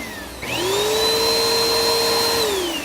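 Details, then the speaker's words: Vacuum cleaner after repairing a power cord chewed by a dog: motor starts, climbs to a steady high whine, holds evenly, winds down smoothly; repaired vacuum works normally. "and it works."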